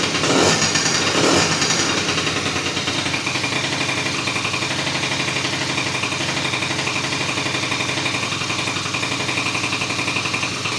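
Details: 2004 Kymco Super 9s 50cc liquid-cooled two-stroke scooter after top-end rebuild, following a year-plus no-start, while refilling coolant: quick, even buzzy idle with no misses or knocks.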